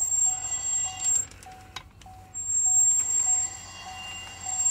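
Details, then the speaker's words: 2021 Chevrolet Camaro LT1, rear wheel turned by hand in neutral, passenger side louder: thin, piercing metallic scrape that comes and goes, started after a track day; rock shards lodged behind the rear brake rotor. "does not sound good but i do not think it's as bad as it sounds all right so here's the passenger side we're going to turn this side over see if it sounds like the other side and i'm gonna say this side sounds worse i still think it's just rocks behind the rotor but we're gonna find out"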